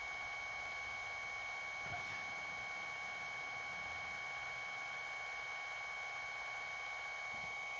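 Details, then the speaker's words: Sony HDR-HC3 HDV camcorder after a repair: fast rewinding of the whole tape gives a quiet, steady high-pitched reel whir with no clicking. The clicking before the repair was horrible; rewind is now normal and fully functional. "And you can hear, nice and silent, besides it fast rewinding, but no clicking at least. Before it was horrible."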